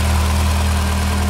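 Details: Renault Clio 16S, hot, after replacing the coolant temperature sensor; the faulty sensor had kept the cold-start fifth injector off, so the mixture ran too lean. Now a steady, even hum with no idle dips or stumbles.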